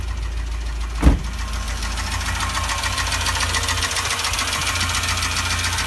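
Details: Renault Logan petrol engine at hot idle: a fast, even metallic ticking knock over the hum. It began after driving on the highway on three cylinders with a burned-out spark plug; cause unknown.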